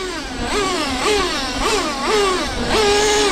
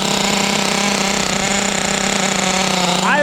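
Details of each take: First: Traxxas T-Maxx with OS 21 nitro engine, restored and upgraded, first track run: engine revs in quick bursts then holds a high steady scream without pulling; slipper nut was 2.5–3 turns loose, so slipper clutch slipping, noisy with no drive, two-speed shift barely noticeable. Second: Restored Traxxas T-Maxx with OS .21 nitro engine, first run on a cold ~42°F day, warming up after start: steady high-pitched buzzing idle settling smooth and even; running cleanly.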